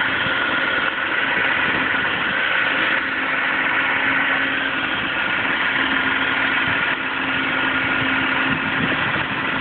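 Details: 2007 Audi A4 3.2 quattro petrol engine idling with a steady low hum from the engine bay; the strange humming often comes when driving aggressively, cause not identified.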